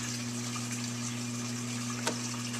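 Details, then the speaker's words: Whirlpool Duet Sport WFW9150 washer after removing a broken piece jamming the drain pump impeller (F9 E1 error, pump hummed but wouldn't drain): steady low motor hum with water rushing, no grinding; pump now discharging normally, no leaks. "Okay, so we had it filled with water. It was tumbling, and the drain pump is now running, and we're getting discharge into the drain"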